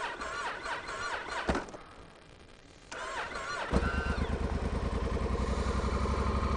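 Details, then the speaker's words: Honda Africa Twin CRF1000L at 2°F after warming inside, previously wouldn't start: brief cranking, catches, settles to even idle about three pulses a second; thick oil, clutch dragging; normal cold start and idle. "Yep, it did. Okay, oil's thick and that clutch drags pretty good."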